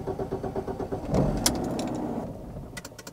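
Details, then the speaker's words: BMW E46 that has stalled after starting ever since it was bought: the engine catches, then revs sag and it dies within seconds, typical of an unmetered air leak. A mechanic first suggested the fuel pump. Stalling after start from vacuum leak. "no i kurde zgas i jest tak odkąd Kupiłem tą piękną BMW"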